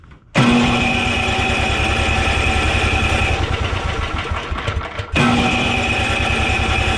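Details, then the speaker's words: Simplicity snowblower, Briggs & Stratton 12 hp Intek OHV single, after low-compression work and valve cover refit: steady even cranking pulses twice with no firing; no start because spark plug broke while being tightened. "running oh good gravy how did we accomplish that I must have broke it when I was tightening it that is a first for me I have never broken a uh spark plug while tightening it"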